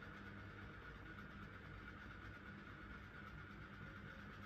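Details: QFlow 2.5kg compact RV/caravan/boat washer, spin climbing from about 500, then 400 or 300, up to 700 rpm final spin; faint, smooth whirr with light high hum, no knocking or scraping; normal spin cycle.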